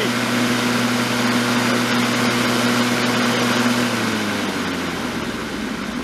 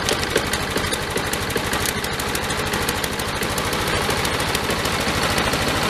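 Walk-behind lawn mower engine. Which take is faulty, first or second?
second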